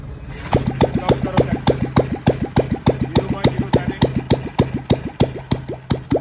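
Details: Royal Enfield Electra single after fixing tik-tik noise caused by badly worn cams, with new cams and timing set: even, steady thump at about 3.5 beats per second with no ticking; healthy idle.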